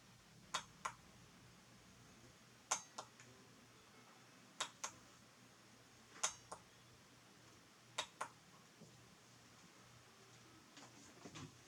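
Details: Relay in a homemade 12VDC-controlled light switch box switching 120VAC, after refurbishing the circuit: crisp paired clicks every couple of seconds, pull-in then release, clean and consistent; relay switching properly.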